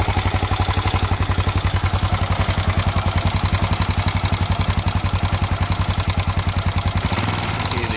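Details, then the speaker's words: Honda XBR 500 single at idle after valve adjustment, exhaust clearance increased from 0.12 to 0.19 mm (intake 0.15), idle lowered from 2000 to 1300 rpm, stalling cured: sharp even ticking on every thumping beat; exhaust lash too loose, to be reset to 0.15. "um so standard was 19 for the exhaust no stad was 12 for the exhaust and i've now got switched to 19 which seems too noisy so i'm going to switch back to 15 and change the pilot and main jet in the carburetor next"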